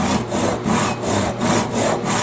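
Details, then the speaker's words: SUIZAN 7-inch Japanese Ryoba double-edge pull saw cutting wood freehand without a vise, pressure taken off and wrist relaxed: even, rhythmic rasping strokes, about three per second, with no chatter or binding, the sound audibly changed from the earlier pressing. Smooth saw cut. "You can hear the difference in the sound of the cutting now that I did all of that."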